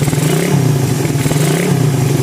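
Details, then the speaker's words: Suzuki Satria FU FL 2014 with a 66 bore-up and porting, after repair. Steady, even idle hum with no ticking or chain rattle: the head is fairly smooth because the cam and ST cam-chain tensioner are new, though the camshaft journals are scored. "karena kampnya baru. Kamprat tensioner ST baru celasi Merapi. Jadi lumayan halus."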